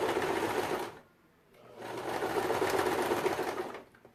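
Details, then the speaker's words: Janome 2008 domestic machine, needle 14, stitch length 3, sewing two layers of synthetic Vintage fabric (1.4 weight): fast, even, loud needle clatter in two bursts; noisier than her Jack but normal, stitching without strain. "Nossa, gente, a máquina de vocês faz esse barulho todo? Eu tô estranhando. Não sei se é porque faz muito tempo e a Jack, ela é tão silenciosa. Então, ó, costurou sem reclamar, sem problema nenhum."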